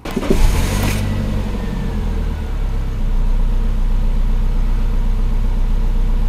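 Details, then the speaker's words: Samand with hunting idle, stalling while driving and hard starting, after replacing the idle air control valve: short crank, starts at about 1,500 rpm dropping to 1,000, then steady low idle without hunting or dying; normal idle. "как ни странно регулятор за 319 рублей работает но значит регулятор установлен машина с ним завелась нормально"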